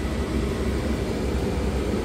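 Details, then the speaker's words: RV propane furnace under the refrigerator, return air register opening straight onto the furnace: loud constant rushing roar with heavy low rumble and no rhythm; excessive blower noise, also uneven heating from poor ductwork. "I have a two-part problem one it is Extremely Loud this is the loudest furnace I've ever had"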